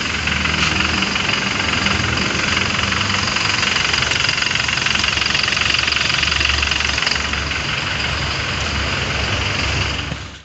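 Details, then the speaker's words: Toyota Fortuner VRZ diesel idling with AC off after compressor removal and repair for a growling noise: steady, even idle with regular beat and no growl or grinding; the growl is gone, normal idle. "yang ngorok tadi itu sudah hilang ya teman-teman"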